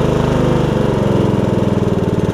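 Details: MTD Yard Machines riding mower after transmission swap, replacement carburetor with anti-backfire solenoid cut off, weak battery jump-started: steady, even low thump at constant speed, no misses or knocks; normal idle.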